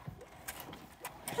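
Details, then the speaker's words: McLaren supercar with multiple-cylinder misfires and cluster warning lights: sharp, light clicking at uneven intervals from the steering column, a broken clock spring, which serves the SRS airbag and the column's communication with the cluster and control units. "if you hear that, it's kind of a clicking in the steering column. That is a broken clock spring."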